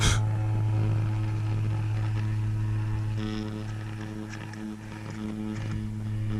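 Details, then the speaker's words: Atwater Kent Model 545 radio speaker, out of its enclosure: low steady roughly 100 Hz tone with buzzy rattling edge; voice coil rubbing, debris inside and loose spider found. "out of the enclosure a little rattle to it about 100 Hertz"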